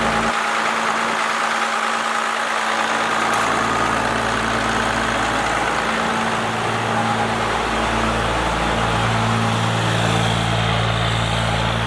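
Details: First-gen Cummins diesel, 4-inch straight pipe, timing advanced and idle speed raised: deep, even rumble settling into a steady idle with no knocks or misses; healthy at the newly adjusted speed.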